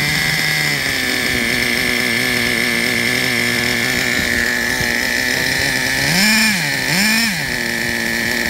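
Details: Traxxas Revo 3.3 nitro RC truck engine: high buzzy two-stroke note steady at fast idle, two quick blips around six seconds; running cleanly. Engine good; transmission, stripped spur gear, starter motor and one-way bearing need replacing.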